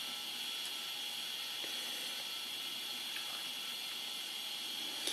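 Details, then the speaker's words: IBM ThinkPad 380D laptop hard drive: steady high hiss from the spinning drive with sparse dry ticks every second or so; sounds worn and near failure, cause suspected, not confirmed. "oh my goodness, I really don't like the sound of that disk drive at all. It looks like it's, sounds like it's not long for this world, if you want my opinion."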